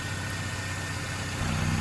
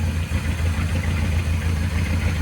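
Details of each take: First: Truck at idle: even note shifts higher and busier as the PCV valve is pulled off, RPM change showing the PCV system draws vacuum properly. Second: Running rough.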